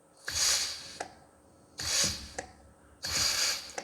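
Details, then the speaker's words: Reassembled John Deere 1640 PTO clutch pack tested with compressed air: three cycles of air hiss, each ending in a sharp click about every 1.3 seconds, as the pack locks up and releases cleanly; slight air leak at the bottom end. "there's your pack locking up and releasing. There's no way that'll turn with a bit of load on it."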